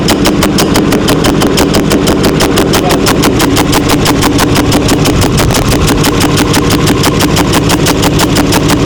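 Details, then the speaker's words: 6.4L Powerstroke diesel, 165,000 miles, about 50k miles after a high-end engine rebuild: loud, hard, relentless metallic clatter at idle while the oil pressure light comes on; severe valvetrain clatter from failed lifters. "Whoa. Uh, >> that is scary. Loud. >> He's got an oil pressure problem, too."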